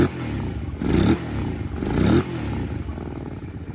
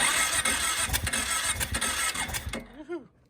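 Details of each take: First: Kawasaki KFX 700 V-twin ATV after rear-cylinder valve adjustment with front spark plug refitted: catches and runs, short revs rising and dropping cleanly with a lumpy off-throttle beat; normal running. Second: Kawasaki KFX 700 V-twin ATV after rear-cylinder valves snugged up then barely backed off by feel, front cylinder not yet done: uneven cranking chuffs, about three a second, try to catch then die; turning over, not firing properly.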